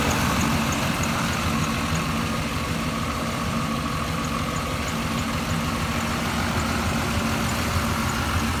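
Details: 1989 Chevy Silverado at idle: low rough idle with an uneven, loose ticking underneath; strange engine noise, source unknown.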